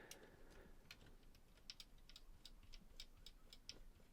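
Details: JVC 9415LSB radio cassette mechanism after fitting new counter belt: faint light ticking about three times a second as counter spins freely forwards and backwards, no drag or slipping; counter drive healthy.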